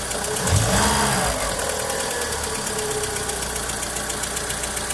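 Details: Volkswagen Saveiro lacking power and bogging when pulling away: quick throttle blip, then uneven, lumpy idle with stumbling beat; low compression on cylinders 1 and 2, head gasket suspected but valves possible, unconfirmed until disassembly.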